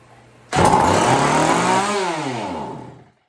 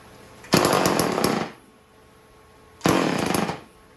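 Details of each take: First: Chainsaw revived with fresh gas, on choke with good compression: starts abruptly, screams briefly, then revs sag to nothing within three seconds; won't hold throttle. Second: Homelite 150 automatic chainsaw run briefly: two short crisp rev bursts dropping back cleanly, no misfire or stumble; runs good.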